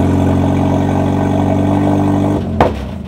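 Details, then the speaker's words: K24-swapped Honda Fit (GE) on first start after wiring fixes and a dealer reflash, with loud exhaust: raw four-cylinder note fires right up and holds steady without misses or hunting, then a clean shutdown; runs healthy. "Nice. It's got this much exhaust. Fired right up."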